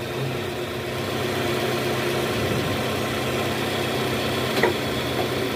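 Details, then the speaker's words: 2010 Toyota Camry 2AZ engine after balancer shaft replacement, AC on, in R: even steady idle hum with no rattle or knock; previously clicked when shifted to R due to worn balancer shaft, now normal. "Sekarang tidak ada suara sama sekali, teman-teman."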